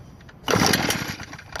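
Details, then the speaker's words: New Echo leaf blower on synthetic mix, started on choke once the bumped-off on switch was turned back on: catches abruptly into a busy two-stroke rasp, a clean normal start, choke then cut. "Oh, sounds good. I'm going to go ahead and cut this choke off and try it. Really didn't need to choke it that much."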